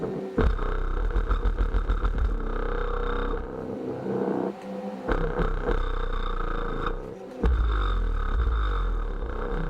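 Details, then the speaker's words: Sundown Audio 12" 500W RMS EV.3 sub on SoundStream TXP1.3500D, low power test: bass rough and buzzy, rattling, sounds blown though coils read fine; loose voice coil suspected. "i know you can hear that it almost sounds like it's blown"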